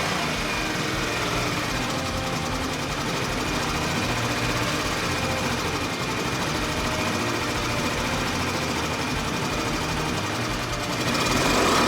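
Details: Tomos Nitro 50 scooter, unrun for 10 years, engine just reassembled, started with help from a truck battery after kicking failed; steady buzz at high idle with faint uneven patter; runs but rough, cause unknown.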